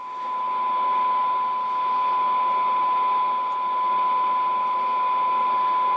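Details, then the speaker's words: Tram D201 hand-wired tube CB radio after recapping balance modulator board, in AM receive while peaking double cores: clean steady test tone over light hiss, no warble or dropouts; AM circuits working well. "so that I know the circuits are all working and see if I have any more troubleshooting to do now so am seems really really good"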